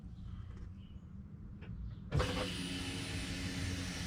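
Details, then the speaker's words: Fuel pump priming heard with the key on in a 2003 Chevy Suburban 5.3L 2WD, door shut: after a quiet moment a steady even whine holds about two seconds; normal prime, so relays and fuses are next to check. "clearly hear that feel pump priming so next step we're gonna have to go ahead and test some we're gonna have to test the field pump relays and more fuses"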